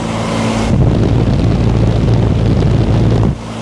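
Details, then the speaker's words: New condenser fan motor on a 2021 10-ton (120,000 BTU) commercial package AC unit, capacitors checked good: steady low roar, no squeal or grinding, amp draw about 2 A, balanced on both legs; normal condenser fan running. "That sounds a lot better."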